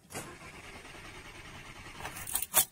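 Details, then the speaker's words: Audi TT petrol with P0304 cylinder 4 misfire and that injector shut down, all coils disconnected for a cranking test: engine cranks with a steady, even rhythm, no cylinder sounding weak; compression normal on each cylinder. "I don't know if you're picking it up on the video but that sounds fine on each cylinder"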